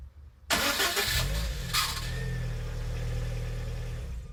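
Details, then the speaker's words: Lada Kalina engine start before repair: short crank with a thin high squeak over the starter whirr, then catching to idle; starter had slight play and was dry, squeal cured by lubricating bushing and drive with graphite grease plus Hado. "Значит, так. Сейчас будем устранять скрип, который появился во время пуска двигателя."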